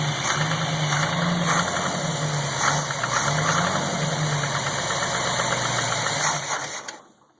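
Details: Chevrolet 283 V8 at cold idle after starting at 40°F ambient: a light tick about three per second over steady idle that goes away after 1–2 minutes of running; piston slap suspected, not confirmed.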